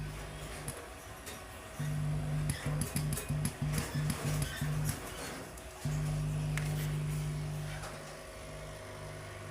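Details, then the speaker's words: Green or red board audio amplifier: a steady low mains hum under the music that stays constant with volume. Caused by poor grounding; it drops once a wire is attached to ground. "so when I switch on my power supply can hear very well the hming sounds so for you to stop them now you have to attach the wire to the ground"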